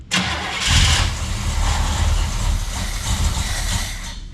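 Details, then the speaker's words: 1968 El Camino SS 396 V8, sitting since 2011, started on high-octane fuel fed to the carburetor: brief cranking, then it catches with a deep, uneven rumble and settles into a rough idle. "oh can you hear man good starts i ain't had a starter that good in a long time"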